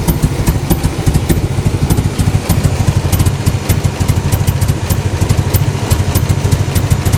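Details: Toyota MR2 petrol engine idling: deep, uneven pulse that lurches instead of running smoothly; rough idle.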